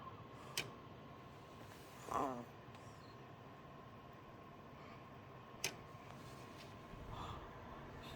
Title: Regular clicking noise, is it the 1200w power supply or the Geforce RTX4090 graphics card?